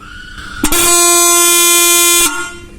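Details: Bike horn after the free louder-horn modification, with its diaphragm nut fully tightened so it won't rattle: a loud, steady, bright blast of about a second and a half with a clean, even tone, sounding properly.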